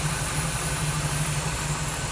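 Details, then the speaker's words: 1979 Camaro, long dormant, just fitted with fresh brakes (bled) and new tires, single muffler: deep, even exhaust burble holds steady with no knocks, misses or ticks; a healthy idle, running good. "I'm going to just kind of turn it over let's listen to a run for a minute it's running good"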